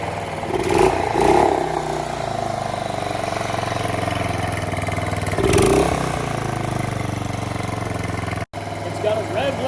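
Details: Outboard boat motor after missing welch plug repaired, run out of water: steady running with throttle blips that stutter against the limiter, sounds like it's missing out of water; otherwise clean and even.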